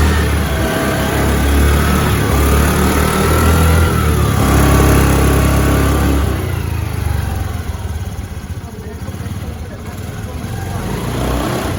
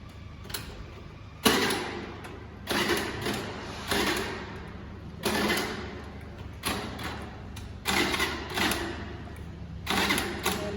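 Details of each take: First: Scooty scooter kick-started after a cold no-start, then revving: small engine revs up and settles in smooth, even bursts, no knocks or misses; running cleanly. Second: Scooter that won't start: about eight short electric starter bursts roughly a second apart whir and stop, and the engine never catches or fires; crank, no start.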